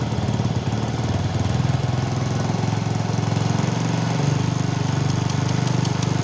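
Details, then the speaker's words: Motorcycle after repairing a stripped spark plug thread in the cylinder head without engine removal; an earlier rattle was traced to a loose exhaust clamp bolt. Starts at once and settles into a steady, even low thumping beat with no misses or knocks, running normally. "Tapi di sini alhamdulillah aman, ya, kita starter langsung hidup."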